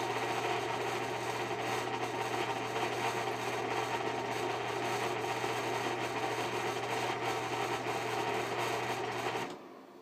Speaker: bad bearings, but the fan still works.